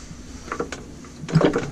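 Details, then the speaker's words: Briggs & Stratton IR6 engine with hand starter removed, flywheel turned by hand: slow, uneven, firm burping puffs of air showing good compression, so valves and piston likely need no work. "now that I have the the hand starter removed you could hear the compression nice and easy so listen to that sound real quick different compression it's burping"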